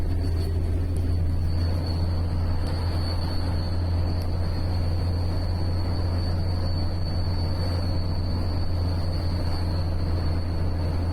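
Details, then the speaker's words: Mercedes 410D, camera on chassis aimed at near-side front wheel during a 10-minute drive: thin steady high ringing over road rumble, after grumbling grinding turned to constant ringing; worn front wheel bearing, replaced. "you don't see much you can see the wheel spinning but you can hear the bearings constantly ring"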